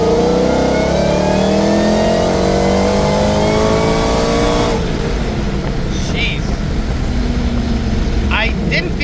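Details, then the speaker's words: Ford Mustang GT500 with Magnus 2650 supercharger, 20% lower pulley and 2.7 upper, full-throttle boost test pull; loud whine rises in pitch with revs, then fades as the throttle closes; supercharger whine, with belt slip and cam issues suspected. "Jeez, pretty whiny. Like you could definitely hear the whine."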